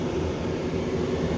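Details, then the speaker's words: HQ Holden Kingswood with newly installed Vintage Air A/C, blower on high (flat out), dual face-and-floor vents: steady even rush of air, no ticks, rattles or squeal; blower healthy. "that's on face and on the floor so you can see how much air that's moving down just to that floor area there blowing that paper around"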